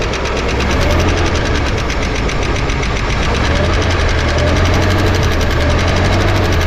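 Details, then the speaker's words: 1955 Chevrolet 210 sedan, long-stored, running on tank gas after readjusting one rocker: quick light ticking about four per second over steady idle; one noisy hydraulic lifter still clattering, not yet located. "all right yeah we have a noisy one we'll find it not a problem"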